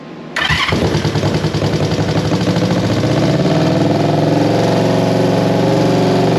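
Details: 1973 Honda CB350G, first start after fitting a Mikuni VM28 carb kit: cranks briefly, catches and settles into an uneven twin-cylinder idle with light throttle blips; carburettors feeding properly, runs, though the petcock leaks.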